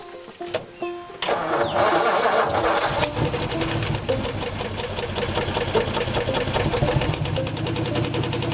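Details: Ford V8 that sat all winter on a battery tender, started with a little gas down the carburetor: cranks and catches, then a steady knock about four per second over a rough idle. Rod knock, running on seven cylinders.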